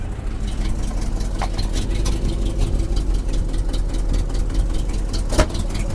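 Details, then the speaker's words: 1976 Jeep J10 with 401 V8, sitting 29 years, exhaust collector gasket gone and a bolt missing, put in gear in four-wheel drive: uneven low idle rumble, then one sharp loud pop, an exhaust backfire through the leak. "Oh, that's a backfire. Smoky? Wasn't even a bolt on there."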